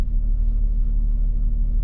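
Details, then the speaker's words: 1991 Jeep Cherokee Briarwood after the dead alternator was replaced, following a short test drive: a steady, low, even hum with no knocks, ticks or squeals. The voltage gauge reads mid-range; the charging system is working. "well i just took a minor test drive and everything seems to be just fine"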